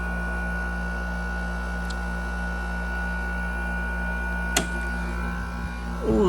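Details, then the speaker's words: 2016 Frigidaire 5,000 BTU mechanical window AC, coil cold throughout; steady low hum with constant even whirring, compressor nearly silent and smooth; normal compressor running. "And as you can hear, the compressor on this thing is like silent. So yeah, it's in very good shape."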